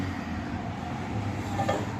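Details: Microwave oven that was not heating, now drawing about 7 A and producing heat: steady low transformer hum with fan rush, no crackling or arcing; running normally, magnetron blamed as the faulty part.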